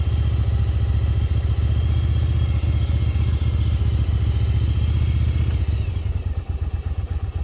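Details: 1996 Yamaha Virago XV750 V-twin, revived after about 10 years sitting, on the road test ride: strong, even firing pulses with a steady throb easing off as throttle closes; running cleanly.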